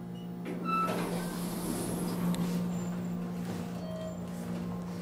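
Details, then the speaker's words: Elevator in a Worcester municipal parking garage near Union Station, riding up: steady low buzz at one pitch under the car's travel noise; buzz source unclear. "Find it weird that that one buzzes."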